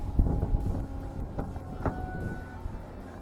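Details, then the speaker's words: Ford Freestyle crossover (2005–2009) that sat about three years with a dead battery, woken on a jump pack: a faint short beep then a higher ding over wind as it powers up, so it can be shifted to neutral for towing. "We've got a beep and a ding, got a dead battery, and we have it into neutral."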